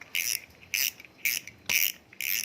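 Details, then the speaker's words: Kamikaze 5000 fishing reel after servicing for rough, sticking rotation: five crisp bursts of rapid loud high ticking about two a second; drag clicker working normally. "Justru karena ada bunyi ini serunya pemancing adalah bunyi ini kalau ditarik ikan freckling kering"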